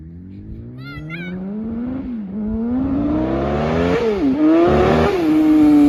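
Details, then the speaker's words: Kawasaki ZX-10 roll-race sportbike on its first test ride: engine climbs hard with a rough, uneven edge and brief stumbles, spitting hard under acceleration; owner suspects spark plugs or tune-up and says it acts fuel related, unconfirmed. "Yeah, definitely. Hear the spitting. Yes, baby. >> Only thing I don't like is how hard it's spitting."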